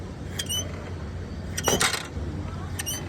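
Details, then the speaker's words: Yamaha MT15 rear suspension: short squeaky creaks as the rear is pushed down; on opening, the rear swingarm bush bearing was found cut and broken apart, causing the noise. "तो इसका जो यह पीछे का झूले का Bush bearing आता है यही कटा था जैसे कि देख सकते हैं सब अलग-अलग हो गया इसकी वजह से ऐसे इसमें प्रॉब्लम हो रहा था"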